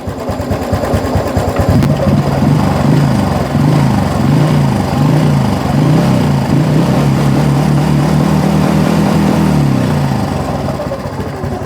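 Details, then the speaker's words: Honda Wave 110i S3 head fitted with an S4 cam, bearing seat machined oversize so the bearing is squeezed and binds: fast, uneven ticking clatter over the idle. Fixed by replacing the 6904 and 6001 bearings. "ทีนี้พอใส่ลูกปืนเข้าไปมันมันเค้าเรียกอะไรนะมันอัดแน่นน่ะทีนี้ทำให้บีบทำให้ลูกปืนมันฝืดแล้วเวลาติดเครื่องมันก็ดังโครงกลางโครงกลางโครงกลางโครงกลางก็ประมาณนี้"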